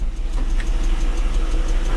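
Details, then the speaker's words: BMW E39 3.5 litre petrol engine idling smoothly with an even deep low rumble, no tapping or misfire. "we'll try and start it folks listen to that no tapping engine there folks"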